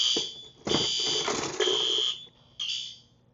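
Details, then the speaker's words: Yearly fire alarm system test: harsh horn blasts in uneven, overlapping, out-of-step bursts because an Advance horn does not sync with the L-series horns and needs replacing. "Now, I really need to replace the advanced here because it doesn't sync with the L series."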